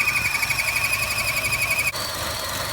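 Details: 2014 Chevy Sonic 1.4L turbo with check engine light, codes and rough running; high, steady belt-like squeal over idle that cuts off abruptly, first suspected turbo or water pump, actually the failed PCV pressure diaphragm built into the valve cover.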